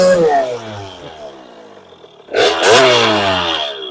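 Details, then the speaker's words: 2001 KTM 50SX two-stroke, upgraded carb with air filter intake refitted: two crisp blips climbing fast and dropping cleanly to idle, no bogging or spitting; running better than it ever has. "oh my God that was better than it's ever been guys without a doubt awesome"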